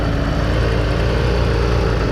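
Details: 1988 Caprice Classic wagon abandoned 15 years, primed with 50:1 fuel and now running on its own, smoking a little and not charging (smoke and charging fault not audible). Steady, deep V8 rumble at an even idle.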